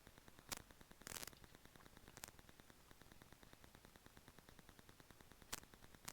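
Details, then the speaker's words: Rode Videomic Go on a GoPro Hero 7 Black via the GoPro mic adapter, recorded unmonitored in a home office with Wi-Fi and a laptop 30 cm away: steady faint hiss, sharp pops about every second and fine ticking, suspected electrical interference. "So I'm not monitoring this audio right now, but my experience with the Rode Videomic Go is that there's always a hissing, a popping, a cracking, some weird electrical interference sounds."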